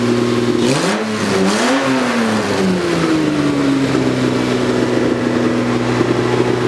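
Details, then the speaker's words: 2JZ-swapped Nissan S14 with new full exhaust, free revs after fixing misfire/breakup halfway through RPMs (pin 76 cut on harness): two clean blips rise and fall smoothly, then steady idle, no midrange breakup; fixed. "And it runs so good now. Like, I'll rev it for you, and it just runs so good."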